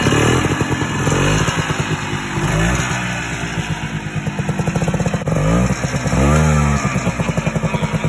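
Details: 1987 Ski-Doo Citation LS Electro 250 snowmobile, recovered from the dump, running on a makeshift fuel delivery setup: rapid popping two-stroke beat rising and falling with throttle blips, engine fires and keeps running normally.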